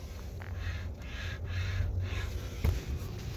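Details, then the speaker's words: 2020 Hyundai Sonata, steering wheel turning: dry, scratchy rubbing in short strokes from a worn steering column bearing. "Alright, today I'm doing the steering wheel noise on this 2020 Sonata. You can hear that rubbing."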